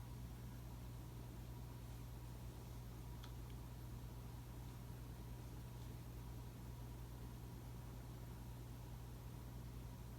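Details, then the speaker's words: 2004 Casablanca 19th Century 54-inch ceiling fan, XLP-2000 motor, Inteli-Touch control using resistors for speed and capacitor for start windings: quiet steady low electrical buzz as speeds change, louder than during light changes; motor buzz on speed change. "I will also say that on Inteli-Touch, instead of capacitors, they use resistors to change speeds. However, it still uses capacitor for start windings. You may hear the fan buzz when I change the speeds, louder than when I did the lights."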